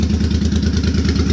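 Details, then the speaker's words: Suzuki Boulevard C50 V-twin after a new fuel injector and Cobra FI2000 fuel controller install: even lumpy beat about ten pulses a second, no skips; owner feels the earlier idle miss is fixed, clean steady idle. "i was having a little bit of a miss while it was idling before this but i feel like this fixed that and i don't have any engine noise at all"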